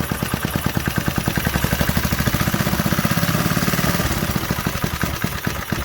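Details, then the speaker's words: 1968 Briggs & Stratton 2.25 hp single-cylinder, first run after sitting decades; steady even popping settling into smooth idle on its own; healthy normal idle. "She's idling on her own. Yeah, this thing is a sweetheart."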